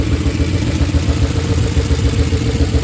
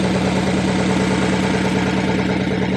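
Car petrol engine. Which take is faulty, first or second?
first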